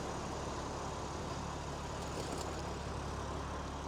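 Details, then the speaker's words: Rebuilt wrecked 2021 BMW M4 Competition on its first drive, creeping along at low speed: a quiet, steady engine hum, smooth and even, with no tapping or misfire. Sounds healthy. "Yeah, that sounds beautiful as well."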